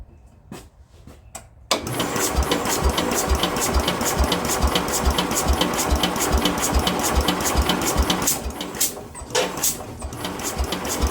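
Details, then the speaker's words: Speedex 1630 garden tractor on a new carburetor with linkages unhooked, after an adjustment turned halfway: steady cranking chuffs, a bit over two a second, puffing as if trying but never catching; the owner plans to pull the head next. "Well, guys, that didn't seem to work. She acts like she's trying to, but it's almost like, I don't know. I can't really tell."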